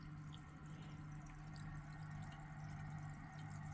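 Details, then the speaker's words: Zacro/Nacro aquarium air pump, valve opened about half a turn: a low steady hum stays in the background while irregular gurgling and bubbling comes from the airstone; all the noise is the stone, the pump runs normally. "And as you can hear, all the noise is coming from the stone. I'll give you a link to a video I done to make these quiet, by the way. So, that gurgling."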